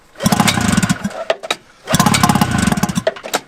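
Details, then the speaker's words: Vintage Yamaha snowmobile revived after sitting in the woods: two pull-start attempts give choppy puffs but it never catches and runs; no-start because the fuel tank is empty, and it runs once a gallon of gas is added. ">> Tyler's made an important discovery. Ain't got no gas in it. >> You got no gas in it."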